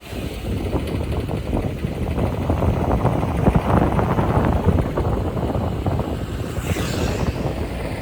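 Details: Daihatsu Move Canbus: fast light rattling tick over engine note, with wind noise; engine knock caused by carbon deposits, cured by internal engine cleaning.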